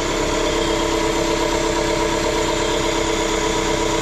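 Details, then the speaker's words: Warm-up idle of a 2016 Dodge ProMaster City with AC running, after correcting swapped cooling fan connectors on an aftermarket fan fitted by a prior mechanic to cure overheating; smooth, even hum with no knocks or ticks, fan kicking in, normal idle. "keep an ey of f usually takes a few minutes to kick in so there we go working perfect perfect perfect nice"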